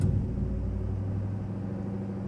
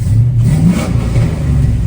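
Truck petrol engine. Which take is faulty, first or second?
first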